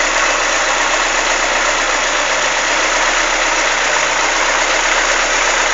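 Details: Chevrolet Monza engine, warm, idling: light, fast irregular ticking over a loud hissy noise; suggested causes are lifter (tucho) tick or piston skirt slap, cause unconfirmed.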